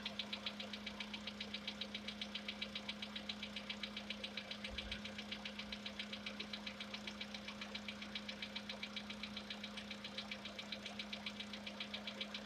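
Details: Sharp, regular ticking knock near four per second over a steady idle hum, from inside a VW Polo Sedan CFNA engine; the owner tests whether decarbonization cures this known knock.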